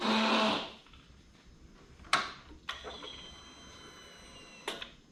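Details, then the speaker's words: Harley-Davidson Tri Glide after installing a new fuel pump assembly and fuel filter: brief half-second priming buzz at key-on then quiet apart from light clicks; no longer the whining noise the old pump made. "oh that fuel pump sounded so much better it didn't make all that whining noise that it used to do"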